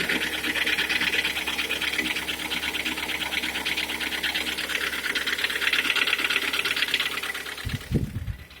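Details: Hyundai/Kia G4KD engine at 102,000 km idling with a sharp fast metallic ticking about two per second over the idle that stops at shutdown: engine knock.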